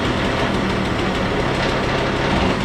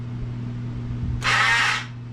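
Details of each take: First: Stella two-stroke scooter after cleanup, with carburetor screw reset to 3.5 turns, oil-filled airbox cleaned and starter readjusted: steady, even buzzing idle with no misses or surging; normal idle. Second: Stella scooter with a non-working electric start, hard to kick, running poorly. Steady hum, then about half a second of harsh, rough whirring. The starter motor itself sounds bad and likely needs rebuilding; relay not at fault.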